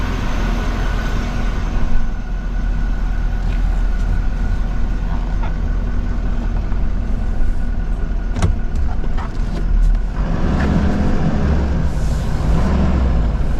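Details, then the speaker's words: 2024 Chevrolet Silverado High Country Duramax diesel after replacing a turbo damaged by plastic, in the yard: smooth, steady idle with only a faint even turbo hiss, no whine or scraping; sounds way better, healthy. "That sounded way better, so everything should be good now, I'm pretty sure."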